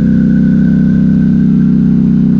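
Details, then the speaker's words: Polaris Sportsman 1000XP ATV with a new engine and upgrades on a test run during break-in; loud, steady, deep exhaust drone "like a helicopter" at held revs, no ticking, knocking or miss, healthy fresh engine. "give her a little bit of crab sounds like a freaking helicopter coming in oh she's going to sound good tell you lot once she's broken in"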